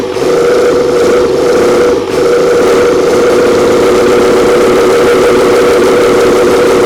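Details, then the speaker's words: Old 12-valve Cummins diesel stored for almost a decade, first start after freeing a seized fuel solenoid. Steady, even diesel clatter with a constant mid-pitched drone, no knocks or misses; idling normally, doesn't sound bad. "oh yeah it's alive you turn clip that key off smell the conditioner oh yeah powered by Bobcat actually don't sound bad"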